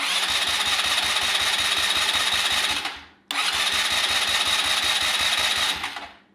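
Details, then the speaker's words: Neglected ATV that sat unused: push-button starter gives two three-second bursts of steady cranking that never catch; carb likely needs removal; normal starter cranking. "Hey! There we go. Getting somewhere. Starter works, or the push button starter works now."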